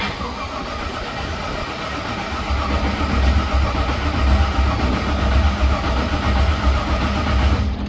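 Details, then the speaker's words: HQ Monaro with a sump conversion, after a backed-out E5 fuse terminal was found: steady rhythmic cranking at close to four pulses a second for eight seconds that never fires. Crank, no start, with no spark. "I got it to crank it cranked over but it had no start so I checked uh for spark yes I checked for spark and uh there was no spark and no injector pulse"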